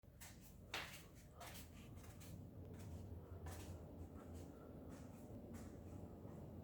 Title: Horror bulkhead popping sound 3:30AM